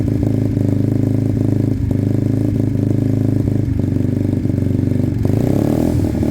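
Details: Sinnis Cruisestar with a new aftermarket exhaust, loud cold idle on choke: a sharp chuffing tick on every firing pulse over the thump, as the pipe is loose and not sealed at the head despite shims.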